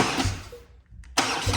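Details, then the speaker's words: BMW R NineT Racer boxer twin, first start after engine oil and filter change (oil at high mark), in neutral: brief crank, short lull, then catches and runs firm and even; clean healthy start to circulate oil. "Okay, so we're just going to fire it up because again we've got to get the oil lubricating."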